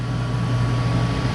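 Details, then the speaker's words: Goodman gas furnace after replacing a bad gas valve that wasn't opening; blower on: smooth constant low hum and steady airflow, no rattles, clicks or surging, flames look good. Normal operation with blower running. "But the flames look good, so should be good to go."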